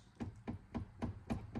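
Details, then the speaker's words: Low-mileage 1995 Ford F-150 while driving: sharp, hollow, evenly spaced knocks about four a second from the loose rear-view door mirror. Something inside the door has let go or a bolt has backed off, making the mirror vibrate on the highway. "you can hear it there's something that's either let go or a bolt that's backed off inside the door we're going to take a look at that to keep this from rattling and vibrating as he's going down the highway"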